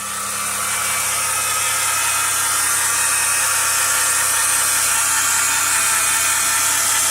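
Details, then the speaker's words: 2010 Chrysler Town & Country minivan, 3.8L V6, 110,000 miles, engine running: steady high whir with gritty rasp, a failing alternator bearing noticed two days after purchase. "only had a hundred and ten thousand miles on it but two days after owning it we noticed the alternator started to sound like this"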